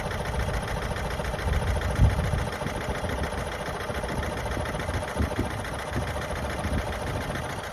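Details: Vauxhall Astra J petrol engine idling unevenly, with occasional heavier low thumps breaking the steady beat. It has a rough idle and loss of power.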